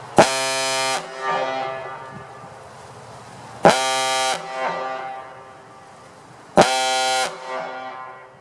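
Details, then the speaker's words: Gamewell Type B diaphone fire horn with the original aluminum piston refitted, fed by a 1/2-inch supply line instead of the required 1-inch, emptying the tank; three long deep reedy blasts ending in falling grunts as air drops, horn healthy. "I put the original piston back in I got a couple more blasts maybe so let me fire it off and empty this tank"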